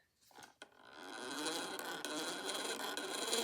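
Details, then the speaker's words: Victor E phonograph spring motor before disassembly and restoration: whirs up with light ticking, then a brief hitch at the same spot each turn, a worn brass gear tooth catching against the harder steel gear. "You hear how it it it spins up and then it got makes a micro second stop. Yep, and there's the gear. It will always stop on that."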